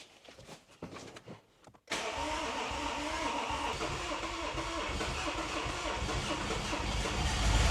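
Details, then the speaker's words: BMW F25 N57 diesel first start after timing chain job with new crankshaft for failed main bearings, fluids refilled: cranks briefly, catches cleanly, settles into a steady even idle with no knocking or rattle; works normally. "Cool, it works normally."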